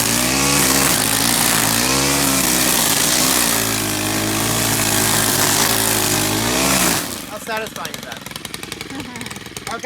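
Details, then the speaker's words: Stihl gas two-stroke string trimmer running after an earlier start-and-die; it holds a steady high buzz with a fast even beat and no misfires, so it is running normally. "started running it should be easier to go ahead and make it um start running again because it's kind of warmed up"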